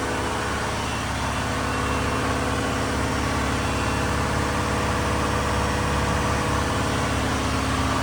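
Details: Diesel fire pump engine on its weekly half-hour test with isolation valve closed, giving a steady, even drone at constant speed with a smooth, unchanging rhythm; running normally.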